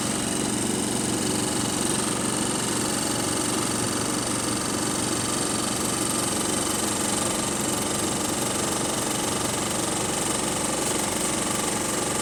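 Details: City bus SLN 36686 on route 181, steady diesel idle with a loose, uneven rattle running through it. Rattly idle; axle noises also developing.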